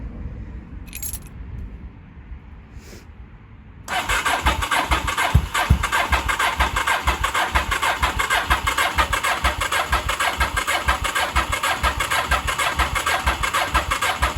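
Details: 1983 Honda Shadow VT750C after final assembly, first start attempt on new fuel with choke on, fuel pumped up to carburetors: few seconds of quiet then steady rapid cranking that never catches; flooded.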